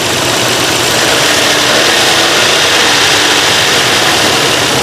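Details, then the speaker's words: Nissan Skyline R34 first start after sitting 5 years, fuel pump replaced, battery solar-charged: steady, even, smooth hiss-heavy idle with no knocking or ticking; running about 5 minutes without overheating, engine healthy. "After 5 years of the car sitting, and it sounds good. There's no knocking, there's no ticking. This car is running so smooth."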